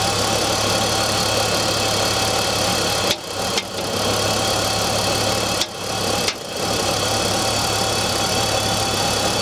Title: BMW e46 m54 knocking sound cold engine